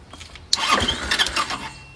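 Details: Chinese 150cc motor scooter (Moto Cooper Revo / CF Moto), found on the curb, ignition bypassed, starting fluid sprayed in with the breather disconnected: brief raspy cranking burst with a sputter fading after about a second; never settles into a run.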